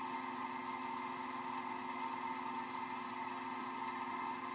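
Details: Wood lathe turning an off-center black walnut blank at about 1300 rpm: steady even hum with constant tone and no rumble or wobble; spinning smoothly at settled speed.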